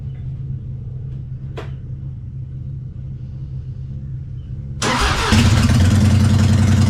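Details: 1999 Harley-Davidson Fatboy after gas tanks cleaned out and reinstalled, started on a jump box: low starter grind, then the V-twin catches quickly and settles into a steady loping idle; starts and runs normally.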